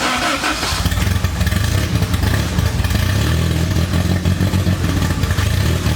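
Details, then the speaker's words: Honda Integra DC2 engine running after a new starter kit, with the intake not hooked up and several vacuum leaks: idle hunts and stumbles, pulsing up and down instead of holding steady. Rough idle from vacuum leaks. "runs doesn't idle right because there's just a lot of stuff going on you know the lot of vacuum leaks one here one there"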